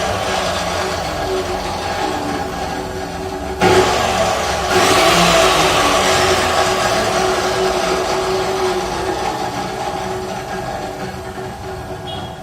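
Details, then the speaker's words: Cut-off machine about three to four months old: loud dry whine over the motor hum as it runs and winds down, with no gear rubbing or worn-gear grinding; the gearbox is noisy from lack of grease. "பாருங்க இந்த sound பார்த்தீங்கன்னா gear உராயறதோ இல்ல gear தேஞ்சு போன சவுண்டும் இல்லை இதுல வந்து Greece இல்லாம சத்தம் ஜாஸ்தியா இருக்கு"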